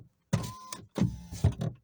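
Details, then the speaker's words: 2024 Mitsubishi Mirage at about 50,000 miles, driver's window before repair: short rough buzzy blatting bursts as motor runs; auto up/down reprogramming didn't help, oiling regulator with WD-40 removed noise. "What I had to do was I take the door panel off and just oiled it, and now the sound is gone. It needed oil."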